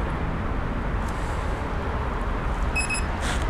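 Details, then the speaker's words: Walkera x350pro quadcopter, 12-volt-plus battery plugged in on level ground: outdoor background with short run of high quick beeps; power-up beeping. "and that is beeping so the next thing I'm going to do is make sure all the switches are up and turn on the radio and it won't you hear that beeping it's because the throttle has to go in the down position"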